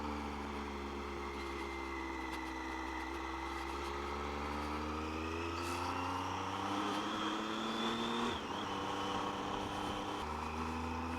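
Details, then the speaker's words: Triumph motorcycle that idled roughly from a cold start, ridden from cold after a major service including valve clearances: the engine note climbs smoothly through the revs with clean gear changes and no spluttering. Running normally. "Yeah, so this is from a cold start, and she hasn't been spluttering or struggling, so yeah, it shouldn't be a problem."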